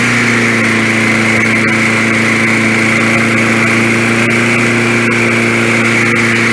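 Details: 1965 Briggs & Stratton 82906 3 hp wind-up-start engine, sat for years, first start after only fuel and oil added; on full choke, fuel needle turned out, main jet possibly clogged. Kicks back on compression, then holds a smooth, even buzz without miss, knock or surge; normal running.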